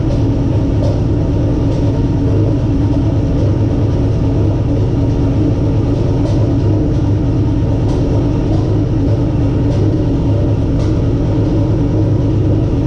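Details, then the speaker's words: Turbo 6.0 LQ9 V8 (stock-bottom Escalade engine) in Nissan 240SX, first start after rebuild with oil pressure: deep, steady, unbroken idle rumble with no knocks or ticks; healthy. "so we're gonna fire it up or we're gonna attempt to fire it up we got oil pressure all i gotta do is plug up the fuel make sure it primes fire in the hole"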